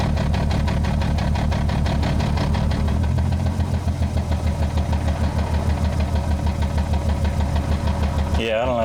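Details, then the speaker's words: Manual-swapped 1998 BMW 328i E36 at the end of its first test drive: engine sits at a very low idle with a lumpy, uneven pulse about three times a second; idle low and rough, cause unknown. "it's being really weird it's idling very low I don't know if you guys can hear that"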